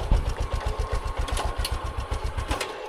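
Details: Kick-start single-cylinder motorbike that a learner rider could not keep running (it stalled when put in gear), started with one kick: even, low thumping beat at about four per second with no ticking or knocking; normal idle.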